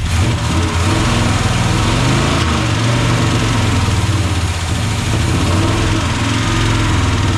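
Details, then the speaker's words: 1976 Chevy C30 dually, new Gen 6 454 big block with hydraulic roller cam, freshly started: light fast lifter tick over heavy rumble, won't idle; oil pressure 60+; likely needs warm-up; idle problem most likely carb-related, timing being adjusted. "Okay, so on the bright side, it does start. Lifters seem a little bit ticky. Might just need to get warmed up, get some oil pressure."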